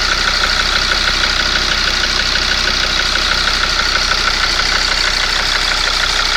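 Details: Mercedes ML W163 2.7 CDI diesel at idle: a sharp, regular knock about three times a second from cylinder 5, which disappears when that injector is unplugged. It persists after injector cleaning and a swap, and after head removal and new lifters; compression is good; the cause is unknown.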